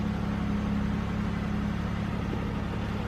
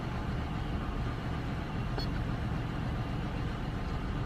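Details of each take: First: GM car that had P0300 random misfire, idling after the fuel pressure regulator was replaced, the oil changed and codes cleared, coolant at 88. Even, settled low hum with a steady beat and no stumbles. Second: GM car idling before repair with the check engine light on and code P0300 random cylinder misfire. Low, slightly uneven and lumpy idle.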